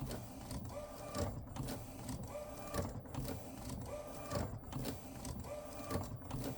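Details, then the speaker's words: Refurbished replacement Epson P906, after a technician visit with no change: repeating carriage passes about every 1.5 s, each with a scraping rattle and whir, getting worse. Owner suspects a mechanical fault in a wheel or the printer base; abnormal print-head carriage noise. "it's definitely a mechanical, to me, there's definitely a mechanical issue, either a wheel that probably block or whatever, or at the printer base."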